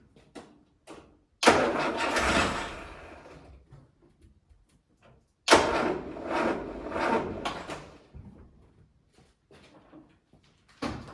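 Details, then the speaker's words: Land Rover Series 3, first start after a head gasket replacement and months without running; battery had been dead. Two sluggish, laboured cranking bursts that nearly catch and then die. Slow cranking; owner suspects the starter motor. "Almost wants to go. I think there's something definitely wrong with my starter motor. Does not sound good."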